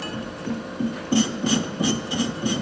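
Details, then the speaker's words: Thorvie AV-40 sharpener grinding a jointer/planer knife, angle raised to about 55: steady, even, smooth stone passes with no chatter, contacting from the bottom edge to the top edge; the angle is correct. "You can hear that it's smoother, so it's kind of telling me that I'm exact, and I am hitting from the very bottom edge to the top edge."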